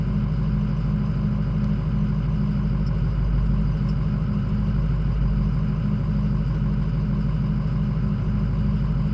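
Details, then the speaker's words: Ford 6.0 diesel, cold, just warming up: a low, uneven, lumpy idle with high ICP pressure; the engine also won't start hot. Fixed by replacing it with an OEM injection pressure regulator (IPR) valve. "does this look normal to you at idle it's cold right now just warming up but I don't know this 14% is a little a little much high high IPC PSI I think should be like 6009"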